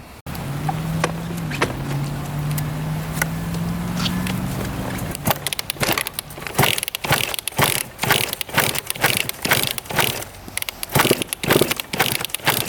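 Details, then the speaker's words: 1999 Suzuki RM80 two-stroke with good compression and original Mikuni carb, being kick-started about twice a second: clattering strokes that never catch. It won't start, suspected no spark; a bad plug and poor coil-wire contact were later found. "yeah she definitely does not want to go must not be getting spark or something"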